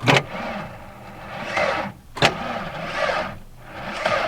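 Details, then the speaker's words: Ford Ranger with an automatic and a rebuilt transmission, in storage with a major oil leak, cranked on a crusty old battery hooked to a vintage Sears charger: the starter drags slowly in long, labored surges with no firing. The battery is too weak and may need more charger time. "Ooh. She's weak. One more time. A little more time on the charger, I think."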